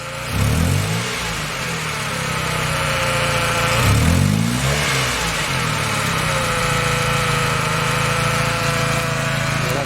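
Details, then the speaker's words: 1997 Honda Civic during partial engine rebuild, alternator holding 14 V: two throttle blips where revs climb sluggishly and sag back slowly over a weak idle; slow, delayed throttle response, cause unknown. "Somehow slow and delayed. See how slow and delayed that is?"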